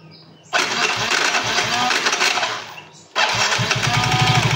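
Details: Soul GT 115 scooter, two short throttle blips with a loose rapid clatter from the CVT belt-drive area; looseness or wear in certain CVT parts suspected, not yet checked.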